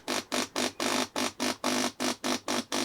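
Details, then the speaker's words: Aspen Mini Aqua condensate pump running with no water after float magnets sank, failing to switch off: loud harsh rattly buzzing bursts about three a second; noise couples into pipes and air conditioner; suspected faulty sensor or electronics, pump also overheats. "When it's running and there's no water in it, it's very noisy, and that noise couples down into the pipes and into the air conditioner and makes the whole room very noisy."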